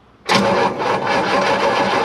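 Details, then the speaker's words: 1958 Chevrolet Bel Air 350 V8, long-sitting, hot-wired, battery sounds weak: even starter cranking about two seconds without a single firing stroke; spark tester shows nothing. No spark, crank no start. "first thing we do is test for spark because she rolled over fine that sounded decent sounded all right battery sounds weak"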